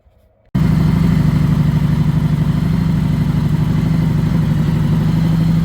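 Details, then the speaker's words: Honda Goldwing motorcycle, low mileage, sat 5 years, first start after revival: quiet cranking, then catches and idles with loose, uneven lope about three beats a second; carburetors completely out of adjustment, unsynchronized. "I actually even drove it around the yard with the J charger pack on the back um not the greatest idea because the carbs are definitely completely out of adjustment"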